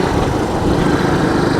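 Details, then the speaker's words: 1986 Honda TRX125 FourTrax ATV being ridden: small single revs smoothly and evenly under load with steady buzzy exhaust, no knocks or misses; runs pretty good, though rider suspects the clutch may be slipping a little. "Little TRX 125 1986. It runs pretty good actually."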